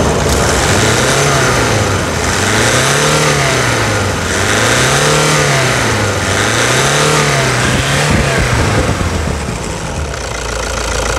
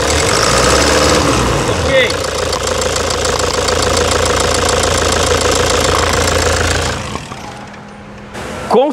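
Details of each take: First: 2009 Toyota Hilux diesel idle, recorded for before/after comparison around a stuck injector replacement: deep steady idle with a slow rhythmic hunting swell about every two seconds, no sharp knock; running normally. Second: 2009 Toyota Hilux diesel with a stuck, faulty injector nozzle, at idle: loud, uneven clattering knock over a rough, vibrating idle with a shaky rhythm before the engine shuts down; diesel knock from the faulty injector.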